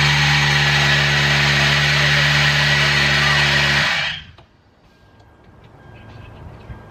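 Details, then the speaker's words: Water pump just replaced, first start since yesterday: heavy smoke from spilled coolant evaporating in the engine bay, and a loud high-pitched screech from the engine bay over the running engine until shutdown, a belt dragging across a seized pulley. "the smoke was absolutely insane coming out of the engine and two there was loud screeching noise yelling in my ear coming from the engine bay"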